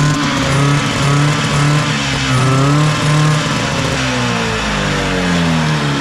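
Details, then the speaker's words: Max 6x6 amphibious ATV, 440cc two-stroke engine in rear, chain drive, after carburetor work, choke used at start: buzzy note rising and falling with throttle, no stumbling, a little smoky; normal running. "oh that sounds great now we use choke shut it off Smokey all right success"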